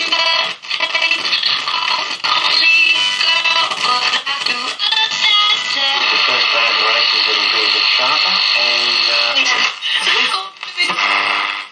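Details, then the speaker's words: 1950 HMV C13C valve radio after restoration (had no sound with leaky capacitors; output transformer checked): clear, full music with no hum, crackle or fading; normal radio playback. "okay all right so again the sound gosh you know not too bad really considering the stall"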